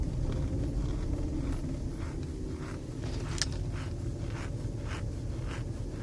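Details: Lincoln Aviator 4.6 V8 with rough idle, sluggish acceleration and loud knocking/pinging: low idle rumble with faint tick about three a second; ticking at idle, owner suspects exhaust leak or EGR fault, not confirmed.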